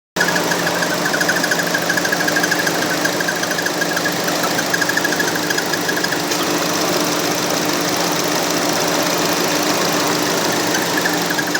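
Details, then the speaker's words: 2014 Chevy Cruze 1.4 L turbo at idle with a fast, chirpy squeak that fades partway through; the front crankshaft seal is suspected as the last candidate after the VVT solenoid gaskets were replaced for an oil leak. "This is a video of a 2014 Chevy Cruze with a 1.4 liter turbo that needs a front crankshaft seal replaced. It's the last candidate of a squeaking noise I've been trying to track down."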